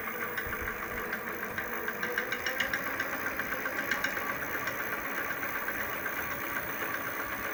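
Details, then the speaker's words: Hub motor at low speed, with a fault the owner links to use in low winter temperatures: light, uneven metallic ticking, about four per second, over a quiet hum. It starts with slight throttle and goes silent when the throttle is released. The knock's cause is unconfirmed. "звук в стуке мотор колеса. Сейчас продемонстрирую на малых оборотах. Отчетливо слышно."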